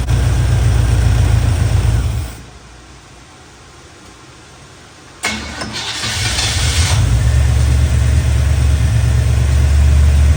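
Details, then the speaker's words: Chevy Square body barn-find truck, 305 (5.0) V8 with automatic, after timing, distributor, carburetor, tune-up and ignition work: cranks, catches after a short pause, settles into steady even low rumble, no stumble; healthy idle, much better than before. "Well, that's running much better than it was."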